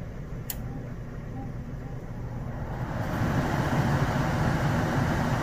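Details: Downflow furnace in an office building after blower motor replacement, tested to check rotation: quiet hum, then the fan spins up about three seconds in to a steady, even whoosh with no rattle or squeal; blower running fine.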